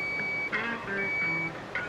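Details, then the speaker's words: Abandoned Lamborghini, just after fixing the fuse box to restore ignition: steady high electronic beeping in short bursts over a quiet cabin, some warning chime with ignition on, cause unknown; warning beep. "some kind of strange beeping anyway let's try to start it up"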